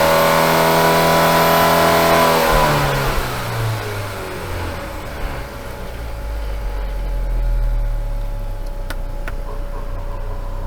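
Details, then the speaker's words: Engine on a dyno after limp-mode troubles, earlier stuck near 3,000 rpm: note climbs then settles to a steady higher rev once the dyno water pumps are switched off, still sounding short of full power; pump load suspected of holding revs back. "yeah so before we had the water pumps on the dyno running and I think that must have been creating enough of a load on the engine that it's not allowing it to rev"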